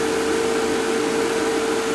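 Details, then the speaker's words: Fieldpiece MR45 recovery machine after oil was added, following noise from recovering wet refrigerant; steady, even mid-pitch hum with soft airy background, no knocking or rattles, now running smoothly and quietly. "Put the oil in. Now she's quiet."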